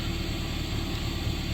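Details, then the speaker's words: 2013-2016 Dodge Dart idling in gear with heavy low drone and rough shudder from a worn driver's-side engine/transmission mount, very noisy when driving. "and let's put it in gear you can you can kind of hear the vibration once you get it in gear"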